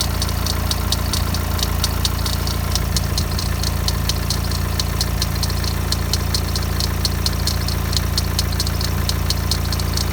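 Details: BMW 116d diesel idling: light, fast metallic ticking rattle first thought to be timing chain, actually the idler pulley near the alternator; noise vanished instantly when sprayed with WD40.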